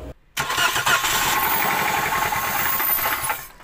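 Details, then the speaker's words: Toyota Calya with a very rough-sounding engine, just started: rough idle with a hard rapid knock about four per second; con-rod bearings failed, sludge found blocking oil flow to the crankshaft. "setelah kita mendengarkan suara mesin ketika dihidupkan sudah dipastikan bagian metal jalan bermasalah"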